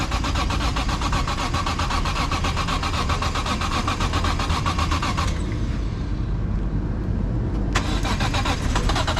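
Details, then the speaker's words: BMW E46 M3 during SMG-to-manual swap: fast, even cranking pulses for about five seconds, tone changes without a clean catch; crank no start, owner suspects battery needs charging. "It feels like when I come here it don't want to start because almost he sent me a video of the car starting, but I think it needs that charge."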